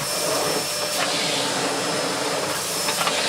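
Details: Bosch GS40 bagless vacuum after clearing a blockage that caused its red warning light: a steady, even rushing hiss of airflow with a constant motor tone and no surging; running normally.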